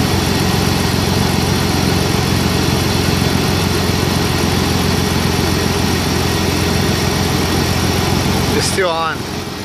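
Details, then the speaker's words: BMW E46 secondary air (smog) pump heard at cold-start idle: loud steady whooshing drone holding constant, then cutting off; pump runs only after a cold start and switches off, working normally. "he's all right now you heard it turn off that was the whole point mine works it only turns on in a cold start after a cold start not really"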